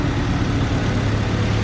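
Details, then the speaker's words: Car previously idling badly around 810-820 rpm, with codes P1509, P0108, P0122 and P0113 and timing way off, after wiring repair and setting ignition advance to 16 degrees: a steady, even low idle hum with no knocks or misses; normal idle. "idle sounds good now a little bit of time in it it's definitely going to pep it up"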